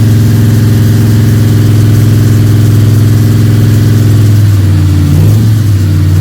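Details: Freshly built 302 Cleveland V8 with a Holley Sniper and electronic distributor, about 20 minutes into cam break-in: loud, steady idle with a firm even beat, then a short rev blip that settles back cleanly. Healthy engine.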